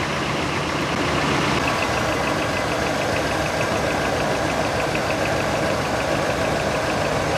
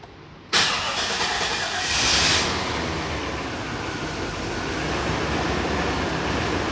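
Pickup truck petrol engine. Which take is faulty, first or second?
first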